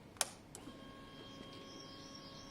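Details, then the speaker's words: Honda CBR600F motorcycle, first start attempt, jumped from a car with a flashing oil light but oil level fine: a click, then a thin steady whir of a few seconds at constant pitch as the fuel pump primes normally. "that's fuel pump time okay so it primed"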